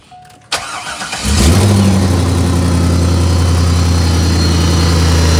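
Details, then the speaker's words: 2001 C5 Corvette V8 with Vararam intake, started up: lumpy idle with faint steady whine from power steering pump low on fluid (leaking pump or rack, pump thought bad) and puffing tick from exhaust leak. "You can hear that good old power steering whine, that good old exhaust leak."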